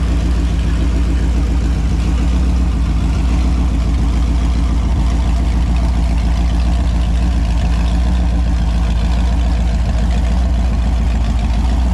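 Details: Holden 253 V8 on a bench test after a freshen-up: new bearings, honed bores, new rings, Yella Terra heads, new timing chain. Deep, steady, even V8 burble at idle with no ticks or knocks. Sounds good, no oil leaks seen.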